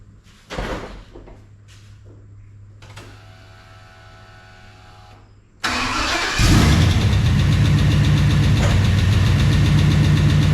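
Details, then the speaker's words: New big block V8 after head stud sealing and top-end rework, with rockers removed and reinstalled, one possibly misadjusted: starts, then loud idle with a quick, regular light tapping; lifter tapping, valves need readjusting. "Well, it's got a lifter tapping real bad now. I thought I had to pull some of the rockers off, and I thought one of them didn't really adjust right, so I'll get to run the valves again."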